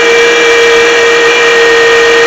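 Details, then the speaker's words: 2007 Honda CR-V with a bad alternator, charging only about 13 volts: constant high-pitched whine over a steady hiss, pitch steady with idle; failing, undercharging alternator. "Hazing sound tells me that it's got a bad alternator in it."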